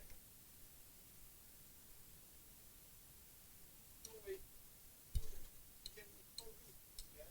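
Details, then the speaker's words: Audio amplifier under repair, relay fed at 23 V: sharp, distinct relay clicks in a quiet room, the relay switching normally when energized. "is clicking you can hear you can hear the relay clicking so that's fine"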